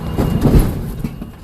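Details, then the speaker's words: Tractor backing fully under trailer during coupling: one heavy low clunk as the fifth wheel jaws lock onto the kingpin; sounds bad but is the normal coupling sound. "Sounds bad, but that's how it sounds. Now finally, once you're coupled, both sides is good."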